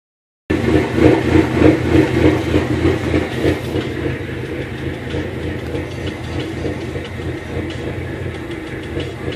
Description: My 05, SRT4 was intermittently stalling, had lean, tough idle and sometimes hesitated on acceleration. The fix was replacing the up steam oxygen sensor.